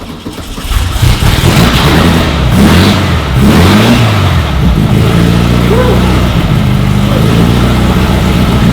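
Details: Meyers Manx buggy on 1961 VW Beetle chassis, 1600 engine, started with starting spray in the carburetor: fires within a second, quick blips rise and fall cleanly, then steady even idle; normal start and rev.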